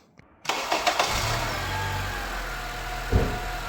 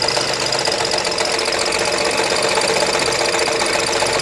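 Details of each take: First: Acura/Honda engine run with the serpentine belt removed to isolate the noise: cranks, catches and settles to a smooth, even idle with no knock, rattle or whine; engine healthy, noise traced to the AC compressor. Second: Acura/Honda at idle: harsh, continuous metallic grinding and rattle from low on the engine, sparks seen at times, bad enough to stall the car; the AC compressor is seizing, not the engine.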